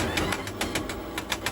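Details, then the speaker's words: Electric four-wheeler about one year old, drive wheel jacked up and spinning unloaded: sharp regular ticks about seven per second, same on both sides, near the motor; suspected worn bearings or gears in motor or differential, differential most suspected, not confirmed. "两边都有这个声音，声音是一样的，很有可能就是电机或者差速包里边的轴承或者齿轮损坏了。"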